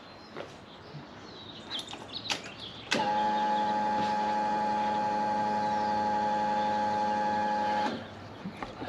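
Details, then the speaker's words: Project Zero 28 fuel pump priming after a clogged pre-filter was replaced (ethanol-degraded fuel suspected): steady, even hum for about five seconds, then it stops; much quieter than with the old filter, when the pump was louder than the exhaust. "and I won't say that's barely audible but it is a much much quieter than it used to be with the old filter in it"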